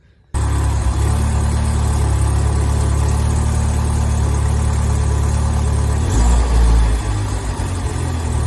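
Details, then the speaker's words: Mini R56 idling: rough, deep idle with a chuffing pulse about four times a second from an exhaust leak at a poor exhaust connection underneath, paste applied before fixing. "So, today we're going to fix this exhaust leak. Let me show you what that sounds like, cuz it's"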